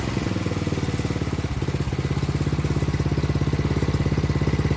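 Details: Craftsman snowblower that would not start, now running on a new carburetor and new fuel line: steady, even putter of a small single-cylinder at idle with no misses or surging; normal idle.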